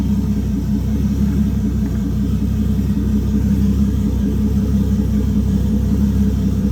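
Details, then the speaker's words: Toyota 2JZ inline-six on an ECUMaster EMU Black, running full sequential fuel and spark from the distributor, after warming up: a deep, steady, smooth rumble with no misses, and it free-revs nicely. Normal running. "okay guys so as you can see um after warming up a little bit it it was free revving really nicely"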